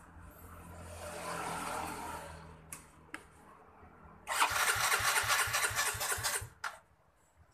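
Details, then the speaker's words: Yamaha Mio J fuel-injected scooter cranking: quick steady starter churn, the engine almost catches but dies and won't keep running; cause not confirmed. "cuman dia tidak dapat hidup Mesinnya tidak dapat dihidupkan alias mati-mati"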